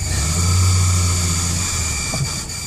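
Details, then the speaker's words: 1995 Dodge Dakota 3.9 5-speed 4WD, 15,xxx miles: in gear with the clutch pressed, a steady low droning hum that gets much worse when driving; owner suspects the throwout bearing, unconfirmed. "and I put it in gear and I press the clutch and I get this noise and if I start to drive it gets a lot worse"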